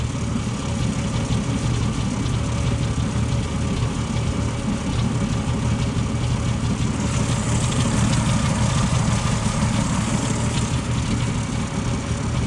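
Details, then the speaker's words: 1977 Ford F-150 4.9 (300) straight six warm idle after radiator replacement: low rumbling idle with uneven, lumpy beat and occasional stumble; miss at idle, no acceleration issue, cause unknown, possibly normal for this engine. "if any of you guys have a straight-6 300 and you can figure out why it's got that like what sounds like a myth at idle put it down in the comments let me know"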